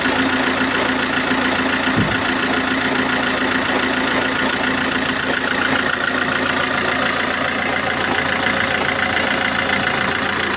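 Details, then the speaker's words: Alfa Romeo 159 1.9 JTDm diesel, just re-timed after P0340 code: steady idle with a constant high belt squeal over diesel clatter from a bad alternator pulley, belt also worn; no ticking. "can hear here the the belt squeaking that is because of the alternator the pulley of the alternator is bad that makes the belt squeak"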